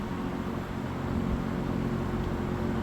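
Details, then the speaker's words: 1970s Electrohome 652-2C (Lakewood P23) box fan running at medium: steady low whoosh with faint even hum, no rattle or wobble; runs smoothly though it needs oil. Normal running. "You can kind of hear the driving noise. But yeah, she's a good runner, that's for sure."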